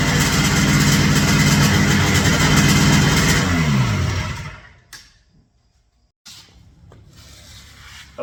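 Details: Ultralight airplane with a two-stroke 447 engine at full throttle on takeoff: a steady drone sags and winds down to near silence as the fuel pump fails (replaced several times before), starving the engine of fuel.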